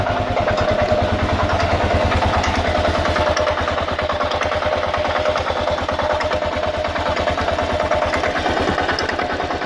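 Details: 2000 Kawasaki KLR650, about 45,000 miles, warmed 15–30 minutes: dry metallic clatter on every idle beat, about three a second; clutch plates recently replaced, doohickey reportedly done; cause unknown.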